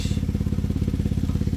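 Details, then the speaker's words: Chevy Traverse on a lift, exhaust leak: loud, rapid low puffing under the vehicle as each exhaust pulse escapes from a hole worn in the pipe, where the pipe had been rubbing. "this is a Chevy Traverse not a V8 monster race car right so it shouldn't sound like that"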